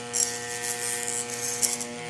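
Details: Trooper angle grinder/polisher, armature tested on a growler: steady electrical buzz with test blade chattering against the armature over a shorted winding; shorted armature coil.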